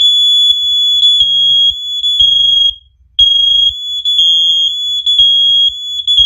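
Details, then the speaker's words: First Alert OneLink hardwired smoke alarms: pressing test on one unit sets off all the linked units, which beep together in a shrill repeating pattern about once a second; interconnect working as designed. "once i press this one right here that's when all the uh that's when all the craziness is gonna start"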